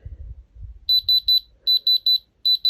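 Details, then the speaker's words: Diamond Selector II tester, dial set to 4 for a roughly half-carat stone in a warm room (10–30 °C), gives three bursts of three sharp high beeps, its diamond alarm, after handling; the jeweller says the stone is not diamond. "so you can hear that's what happened in my first video. It came up as a diamond, but my jeweller says not diamond."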